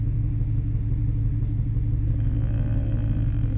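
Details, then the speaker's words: Nissan 350Z idling with a cylinder 4 misfire code, check engine light on and heavy exhaust smoke: deep uneven lumpy beat about three per second. "May problema ong 350 ko eh. Nagmi-miss fire tapos ah nag malakas na yung smoke sa exhaust niya."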